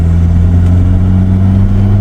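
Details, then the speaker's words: Car driving at speed: a steady low drone that changes with slight steering, present when slightly turned right and gone when straight or turned left. Owner suspects a driveshaft CV joint or warped rotors; cause not confirmed. "okay my attempt at catching this noise that I've got and it's a slight turn of the wheel as well that changes it"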